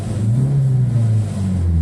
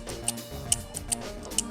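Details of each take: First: Cabrio with LE-Jetronic injection that had randomly flashing dash lights and misfiring, fixed by chemically cleaning the distributor part; after running a long time it revs up and down smoothly with no stumble or cutting out; normal revving. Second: Ignition distributor removed from LE-Jetronic cabriolet with randomly flashing warning light and misfire, shaft turned by hand: sharp uneven little ticks, about four in two seconds, from the Hall sensor loose inside.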